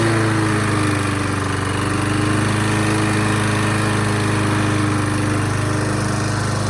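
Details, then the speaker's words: $4 abandoned push mower, filter and cover cleaned and refitted; a steady, even drone with no misses or surging, smoking at first then fading, normal running. "So as you can see, it runs pretty good. It did smoke at first, but I think it's kind of faded now after it's ran."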